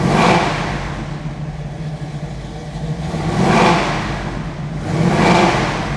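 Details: 1967 Chevrolet Camaro RS/SS, numbers-matching 396 big-block V8, Edelbrock 4-barrel carb, HEI, Turbo 400 automatic, under the hood: deep rumble swelling in three strong blips and settling back each time, crisp and even; healthy rev.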